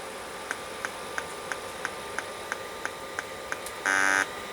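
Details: Late-1980s full-height 5.25-inch hard drive tested on a 286 PC: even light clicks about three per second, then a short buzz; drive never spins up properly and looks dead though an identically set drive works. Cause suspected, not confirmed.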